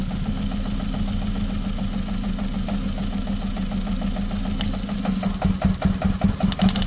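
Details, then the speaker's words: Ford Figo petrol/CNG with strong vibration: uneven, lumpy idle with occasional stumbles and knocking pulses under a low drone while plug leads are pulled one by one; cylinder misfire at idle, the culprit cylinder not yet confirmed. "हमें confirm करना है कि कौन सा cylinder से miss fire कर रहा है"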